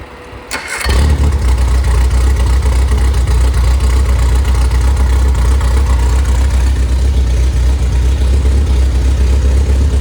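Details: Freshly rebuilt 1500 MG Midget/Triumph Spitfire engine, double timing chain, double valve springs, compression 178–186 psi: catches at once and settles into a steady, even, deep idle with no knocks or ticks; good oil pressure, runs very smoothly.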